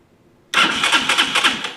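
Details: TaoTao 250cc Chinese ATV: starter turns the engine over with quick even chuffing but it never fires; new CDI, coil, regulator/rectifier didn't fix it, the cause was the ignition wires.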